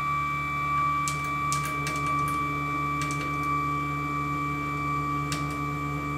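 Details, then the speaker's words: Sieg X2 mill with a CNC Fusion Z-axis conversion, after new motor mount bearings and realigning the motor mount: a steady stepper whine while jogging, with the ball screw chattering near the top of travel, possibly low on oil. Ball screw chatter from misalignment. "it's unhappy at the top there wall screws chattering away a little bit"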